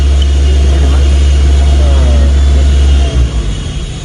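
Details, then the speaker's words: Toyota Avanza EFI engine at idle, scan tool actuating the ISC stepper (idle air control) valve closed: steady low idle hum holds about three seconds, then RPM sags and the engine stalls. "RPM turun, engine mati."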